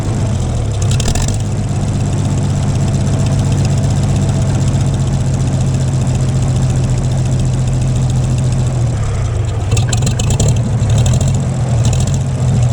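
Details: Gleaner combine gasoline engine after its first start following a carb rebuild, starter rebuild and two straightened push rods. Steady low idle with an even beat, no knocking or stumbling. Runs better after blowing exhaust debris, suspected a mouse nest; healthy normal idle.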